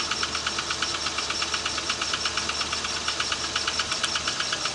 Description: Another engine connecting rod knock noise.